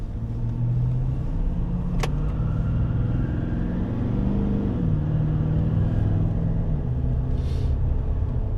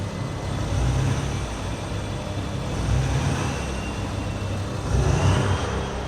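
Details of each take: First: Nissan Titan with Cummins diesel on a test drive after repair (connectors weather-tight sealed with heat shrink), having failed three dealership repairs: steady, even diesel drone rising and falling smoothly with speed, no stumble or miss; runs great, normal running. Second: Straight-piped, emissions-deleted Cummins-powered Nissan Titan diesel revved from the rear: turbo whistles loudly, jet-like, over the rumble on each rev; owner complains of an engine noise he suspects is fuel knock.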